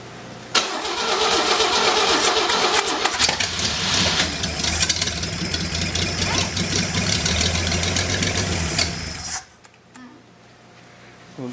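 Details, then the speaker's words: Six-cylinder engine on a stand, first start, not yet boosted, gas poured in: long harsh cranking with sputtering catches, dies; low fuel suspected, later fixed by filing the points. "all right let me see why we ain't getting much fuel here and then we'll do better"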